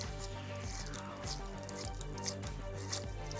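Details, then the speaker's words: Axial SCX10 III RC crawler two-speed transmission with dig, hand-turned after greasing all gears to cure noisy first run; soft even whir with steady low ticking, no gear chatter, quiet smooth mesh. "Yeah, no gear chatter in there no more."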